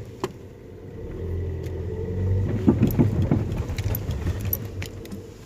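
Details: Toyota Vios 2014 rolling slowly over a speed bump: a quick cluster of dull knocks from under the car, a clunk in the front suspension. The shock absorbers are not leaking, and the cause is still being checked.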